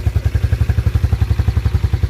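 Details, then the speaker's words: 1987 Yamaha Moto 4 YFM-350ER 350 single-cylinder ATV, pull-started with key on in neutral; fires at once and settles into steady even thump about eight beats a second; healthy idle. "so you just pull it make sure the keys on so your neutral light's lit and just pull it look at that started right up"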